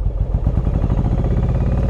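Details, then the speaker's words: Yamaha Virago 1100 V-twin at idle/low revs: lumpy, loping idle running only on the front cylinder, with the rear cylinder dead despite spark. Owner suspected fuel; the carburettor float valve was found gone. "the bike just uh literally stopped working on the rear cylinder uh i'm not too sure why but i think it's fuel really related"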